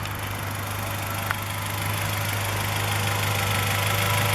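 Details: Mostly original, unmodified 1998 Acura Integra GS (new plug wires and brake master cylinder, timing belt due, no warning lights): a steady, quiet idle with an even low hum and a light regular pulse, nothing knocking. The owner suspects the catalytic converter may flutter a little.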